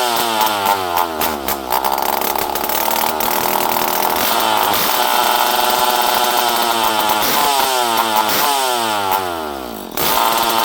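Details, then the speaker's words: Poulan 5200 Countervibe chainsaw, unrun for 5-6 years, before carb screw adjustment: catches and runs, revving up and down with a raspy buzz climbing and falling in pitch; the saw runs. "Okay, friends, well, we know this thing will run."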